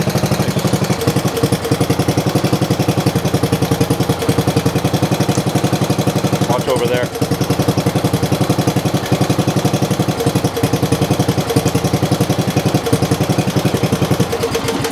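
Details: Older MTD riding mower being readied for a new owner, after fitting a lighted switch: small single-cylinder engine firing in a steady, even beat at idle, no knocks, misses or rattles.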